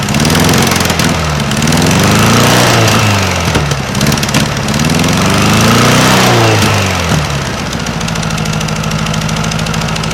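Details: 1956 VW Beetle engine idling on a Solex 34 PICT 3 carburetor: quick, even puffing pops about four a second. It is exhaust leaking at heat riser flanges with no bolts on either side, not valve tick.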